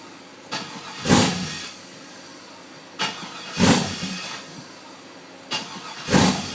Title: WON'T START!!!